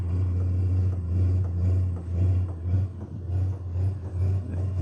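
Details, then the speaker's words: All-in-one 8 kW diesel air heater (12V/24V/110V) on its first burn: a deep steady hum with a soft pulse about twice a second as the flame lights and the intake fan blows harder; a normal startup. "I think I hear flame. You can probably hear that. Now I kind of hear like the flame kick on."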